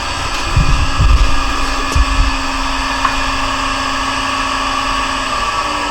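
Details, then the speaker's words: Monarch Merit lathe motor on its new AC drive (VFD), first run from internal controls, slowed to 20 Hz, carrier frequency about 8 kHz. Quiet steady hum with a faint electronic whine, no grinding or knocking; runs smoothly at low speed without much noise. "it runs all the way down to 20. without too much noise so i might let it go there"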